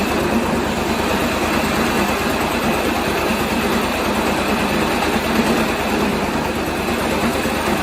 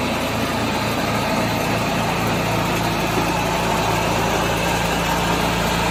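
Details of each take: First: 1986 John Deere 216 lawn tractor idling after carb cleaning and PTO belt adjustment. A fast, even buzzing rattle rides over the engine beat from the loose sheet-metal side panels vibrating. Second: 1986 John Deere 216 lawn tractor single engine after carburetor cleaning and PTO adjustment, driving up and down the driveway; putters along at a steady, even beat with no misses or knocks; runs normally.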